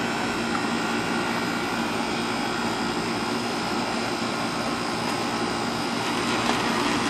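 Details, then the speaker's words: AC outdoor unit after replacing a bulged run capacitor and the contactor; fan and compressor previously would not start: steady even condenser fan whoosh over smooth compressor hum, no clicking or buzzing. Running normally; the capacitor was bad. "all right folks and now you see it running so sure enough it was a bad capacitor"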